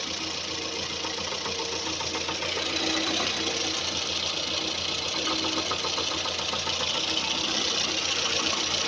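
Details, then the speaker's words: Camshaft end-play knock: a dull, unclear tapping from the top end at idle that comes in runs and then pauses. The camshaft shifts back and forth on a worn thrust cover, and the fix is replacing the old cover with a new one. "о слышите звук да то есть вот он непонятный глухой стук"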